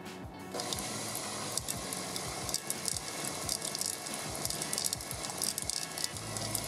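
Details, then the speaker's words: KitchenAid KSM97DP tilt-head mixer after drive gear and grease replacement, running at slowest speed: steady gritty hiss with soft low pulses; normal gearbox run, fresh grease churning, not grinding. "Now, you might hear this noise that sounds like it's grinding, but that's actually the grease all squishing around."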